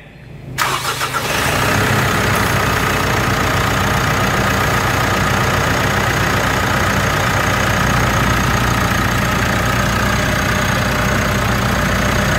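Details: 2018 Mitsubishi Triton automatic diesel after swap to a semi-new, decarbonized engine: cranks briefly, catches at once, settles into steady, even idle with no knocks or rattles. Normal start and idle.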